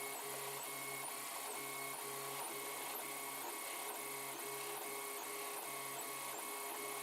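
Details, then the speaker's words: 3D printer several hours into printing an LVDS controller box: a steady run with a low hum cutting in and out in short, uneven bursts over the fan whir. Unidentified noise during the print; owner thinks possibly fans. "hey that noise i'm not sure what that is I think it must be famines and everything you're bad"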